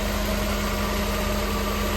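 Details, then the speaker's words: 1988 Mercedes-Benz 560 SL, cold start, heard from outside at the rear: smooth, even idle with a steady low hum and faint constant fuel pump whine behind it; clean, clear exhaust, healthy normal cold idle. "Hear that fuel pump running from back here. Clean, clear exhaust, as you can imagine with this kind of miles."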